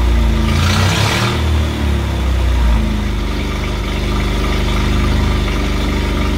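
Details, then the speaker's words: 1968 Bedford CA ice cream van, first start after years standing, run briefly with no coolant: old engine catches, revs briefly, then settles into a steady, even low tick-over; runs fine. "took over turned up a little bit but anyway it's running we've got there we know what we wanted to do today"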